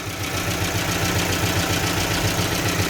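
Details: Gazelle with Evotech 2.7 engine at steady idle: a regular low knock, about three to four beats a second, over the engine note; hydraulic lifters (lash compensators) suspected after diagnostics, source not confirmed.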